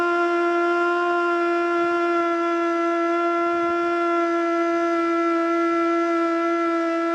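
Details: Older Federal Signal Model 2 siren (old CD box), Princeton NE, alert test: steady wail sits low and wobbles, struggling to spin up to full pitch; owner suspects worn brushes.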